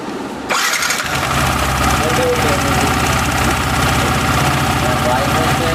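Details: Yamaha R15 V3 BS6 motorcycle engine catches and settles into a quick idle with a light, fast ticking riding over it, attributed to incorrect valve clearance.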